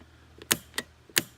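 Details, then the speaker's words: Nitrous Express GM universal kit (part 209 02) installed on a Jeep Liberty, armed: four crisp, consistent clicks in about 1.5 seconds as the purge solenoid fires; normal solenoid operation. "when you hit full throttle you can hear the nitrous and fuel in solenoids click"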